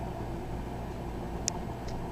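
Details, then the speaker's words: Frigidaire FRS23W3AW1 refrigerator evaporator fan reinstalled after thawing off ice buildup: a soft, steady low hum with a couple of faint clicks and no scraping or ticking; the freezer fan runs normally. "okay now reinstalled the fan and this what it sounds like now what it's supposed to sound"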